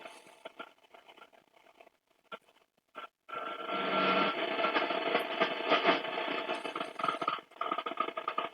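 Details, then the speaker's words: Eddystone EC10 receiver, just fully aligned, tuned around 20 MHz indoors without an outside aerial: rough crackling buzz with a faint steady tone buries shortwave reception; indoor interference, not a set fault. "son is rubbish foreign too much interference in here"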